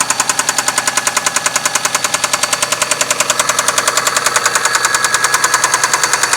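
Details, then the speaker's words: 6A13 engine at night, started with difficulty; sharp, very even metallic knock at about 200 per minute over the idle, present from startup, loudest between the heads; oil pressure lamp off, no misfire; source unknown. "Стучала сразу. Очень сильно. Вот такой противный стук."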